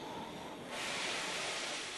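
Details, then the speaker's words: Oxy-LPG low-pressure cutting torch, neutral flame, cutting with the tip very close to the work: steady rushing hiss brightening as the cut starts, no popping, banging or flashback; normal cutting. "You can get the tip very close to the job and there's no popping, banging or flashback."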